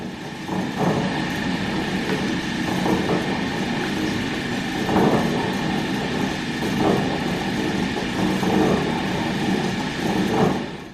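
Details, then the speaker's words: Lifted limo golf cart on stands, wheels spinning under power with a bar against the lug nuts; steady high motor whine with a rough rumble swelling about every two seconds. Driver-side rear axle bearing suspected, not confirmed; whole rear axle replaced. "so sounds like it's right there that sounds like a bad axle bearing so instead of pulling these axle tubes out we're just going to replace the whole rear"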